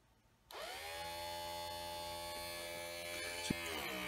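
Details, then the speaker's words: 1965–66 Ford Thunderbird power window motor on bench, adjustment screw turned down to its stop with preload: whir rises to steady buzz then pitch sags as it loads and stalls; overtightened, must back off about an eighth turn. "That's where the motor stops. Right there. So I just go back it off until it sounds better."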